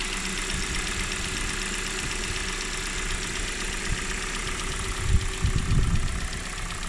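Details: 2019 Kia Cerato (Forte) BD with 2.0L Nu MPi petrol engine, just after a cold start: fast, light ticking/clicking riding over the idle.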